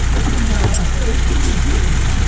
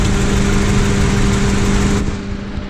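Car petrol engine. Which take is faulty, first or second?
second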